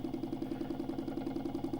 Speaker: things are starting to respond a little more as we're hitting that 11 hertz and now you can see the motor is at 11 hertz and the pan is really responding